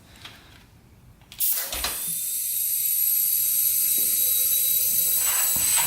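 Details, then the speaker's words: 2001 Honda 400EX quad that won't start after sitting for years, 20 psi leak-down test into the cylinder: steady sharp hiss out the exhaust, so a bent exhaust valve; slight leak at the intake too, possibly bent. "yep and you can hear it coming from the exhaust here so we've got a bent exhaust valve"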